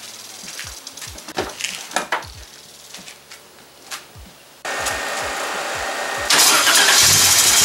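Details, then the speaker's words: Engine fires after starter clicks, with a thin squeak scraping over the running noise. An unhooked clamp fell against the serpentine belt; the belt is only lightly scraped. "I forgot to hook this clamp up fell down that squeaking noise was it hitting against the serpentine belt"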